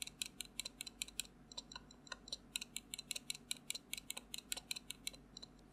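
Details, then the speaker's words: Duhoro VN96 keyboard (not the Tecware Phantom+) with unmodded stabilizers. Fast, sharp clicky keystrokes; moving the ends of big keys like backspace gives a thin metallic tick as the stabilizer wire rattles against plastic. "akan ada bunyi macam ada besi bersentuh dengan plastik, which is bunyi tu agak annoying. Ini contoh antara keyboard yang dia punya key besar rattling dengan TechWear Phantom Plus RGB Mechanical Gaming Keyboard."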